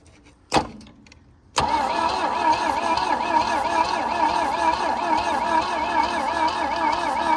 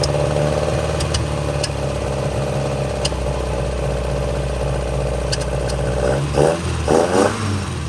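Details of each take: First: Abandoned 1966 Volvo Amazon 122 estate, cranking on the starter with no ignition yet, after the cylinders were soaked and the engine freed. Wavering, uneven chuff with a puffing hiss each stroke; compression leaks past spark plugs left loose. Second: 1966 Volvo Amazon 122 estate after long storage, started using a jump from another Volvo: steady, slightly busy idle picking up cleanly through quick throttle blips; a lean backfire suspected, may be running out of gas, oil reaching head; sounds healthy.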